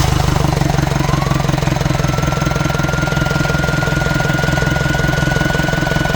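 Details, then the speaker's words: Mitsubishi L200 diesel with P0638 throttle fault and P1498 DPF overloaded, running flat: steady idle clatter with a faint thin buzz; the electronic throttle actuator buzzes but doesn't move despite 12 V and a 5 V signal, so it's dead. "Turn it off. Yeah, no movement. That's definitely dead. I can hear it buzzing."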